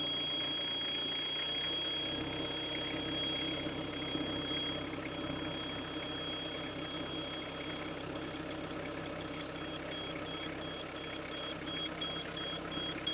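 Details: Hitachi EX55UR mini excavator diesel, sitting a year with a broken boom, just started cold with starting fluid; steady even clatter at low idle with no misses, a normal cold idle warming up.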